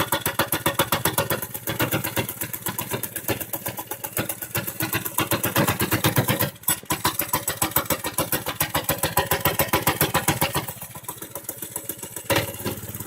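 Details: Motovox minibike single-cylinder engine started cold on choke in snowy, icy weather after rebuild: quick, even putter at about 220 firings a minute, steady with a brief dip; sounds healthy, normal running. Bike already ridden at mid-20s mph.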